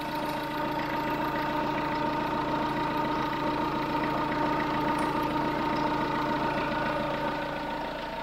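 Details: Chevrolet Tracker turbo engine warm near 85°C after repair, forgotten vacuum line reconnected: steady even idle, smooth regular beat, valve tap gone; healthy.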